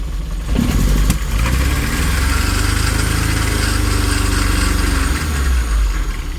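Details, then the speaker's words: 1980 Triumph TR7 engine idling cold, lumpy and stumbling, possibly misfiring; coughing rough idle, owner thinks it needs a tune, with new plugs and possibly timing adjustment planned, after thermofan removal stopped the earlier noise. "Could do with a bit of a tune potentially too, because she's coughing and farting and carrying on."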